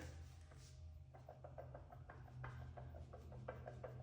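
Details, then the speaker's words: Audi SQ5 front 380 mm two-piece brake rotor held by a single fixing screw: light metallic clicks, about four a second, as the rotor is rocked by hand through the wheel; hat-to-hub flange play, also causing vibration. "And that was a terrible rattle. You can hear it. I mean, it was just annoying in the car."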